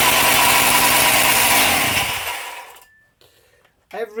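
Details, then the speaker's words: Husqvarna 268XP two-stroke chainsaw, freshly assembled, started stone cold: screams at a very high, unsteady idle for about two seconds, then dies away; owner suspects cracked crank seals letting air in, unconfirmed. "tell The Telltale of crack seals isn't it every time you start it up it's slightly different really high idle then"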